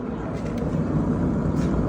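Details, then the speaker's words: Wolverine single-axle pontoon trailer wheel with play in the bearing and water intrusion, spun by hand before service: loud, coarse, steady low growl from the worn wheel bearing. "she's Loud"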